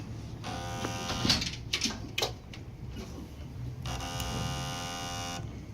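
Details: Generac model 0E6221 1500-watt generator, sitting unused for about one to two years, with gas and a strong battery. Pressing start gives only a steady electric buzz of about a second; the starter moves but doesn't crank the engine.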